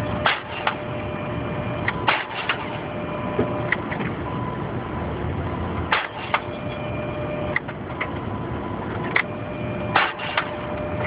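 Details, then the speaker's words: Jeep Wrangler: starter cranks in repeated bursts with sharp engagement clicks every few seconds but engine never catches; eventually started after many tries — crank no-start, cause not confirmed. "Friday, July 23rd. The Jeep will not start again."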